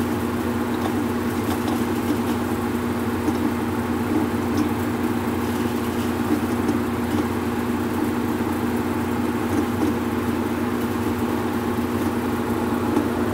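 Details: Whirlpool Cabrio washer after tightening a loose pulley and checking the belt and motor, in drain and spin: an even steady hum with a constant mid tone and no knocks or rubbing over thirteen seconds; spins normally.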